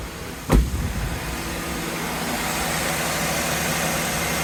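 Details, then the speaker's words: 2011 Acura CSX after installing a new AC compressor clutch kit (same as Honda Civic Si) over an intermittently working clutch, AC switched on at idle: sharp click, then a slightly heavier hum as the compressor takes load; clutch engaging normally. "It's on. Woo! Yeah. Finally, AC's back."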